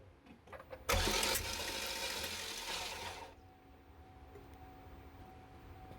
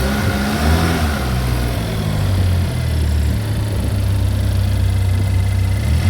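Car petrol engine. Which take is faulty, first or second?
first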